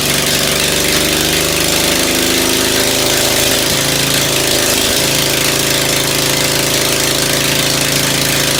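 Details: Ford engine just reassembled after tune-up, muffler removed, first carburetor tuning with only the high-speed needle set: loud unmuffled low uneven idle with odd pops and stumbles; owner suspects low-speed mixture too lean.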